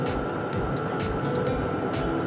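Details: Hcalory Toolbox Compact 2 diesel heater running, casing about 61-62°, exhaust about 230°. Steady fan roar with a constant mid-pitched tone and soft combustion rumble, no surging or rattles; heater running normally.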